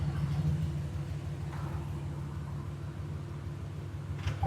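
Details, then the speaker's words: Ram truck with check engine light: deep, uneven rumble with a stumble, cylinder six misfiring even when power-braked, plus a puffing exhaust tick from a manifold leak, likely broken manifold bolts. "and also has an exhaust leaks too most likely the the manifold bolts broke you hear it let me see can I power break it a little bit no six is still going crazy"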